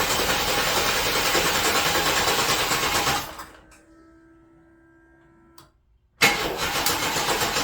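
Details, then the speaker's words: 1993 S10 Blazer, first start after engine swap, battery on 12 amp charge: engine spins over evenly about three beats a second, stops, cranks again, never fires; distributor found 180 degrees out. Crank no start. "Sorry everybody, I had some issues when cranking it, as you could see in the video, and discovered my distributor was 180 out, and I ended up firing it off camera."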